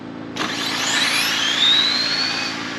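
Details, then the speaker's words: Mid-motor drag RC car on a full-power pass after switching to a faster ramp, 22 degrees timing; high whine climbs steadily and cleanly without stutter or rattle, smooth and straight, owner wonders if it needs more gearing; normal full-power run. "Wasn't a bad hit. That was nice and smooth. Straight too."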